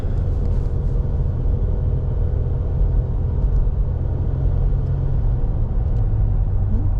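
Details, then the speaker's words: 2017 Nissan Altima warming up on a drive before an oil change: low, steady engine rumble under road noise with no knocks, ticks or whine. Runs smooth, normal running. "Well, Sounds good. Right smooth. I mean, I can feel the road in it a little bit, but sometimes it's just a trait of these cars, but so far, not too bad."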